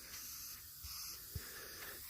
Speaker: we've got it loose and the leak is right here that's a problem right there I don't know if you can still hear the air hissing out but